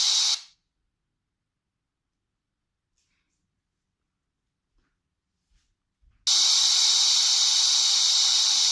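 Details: Microsoft Surface 3: loud, steady, high-pitched hiss that starts abruptly, independent of audio playback. It is present with no programs open and persists through repeated restarts; cause not pinned down.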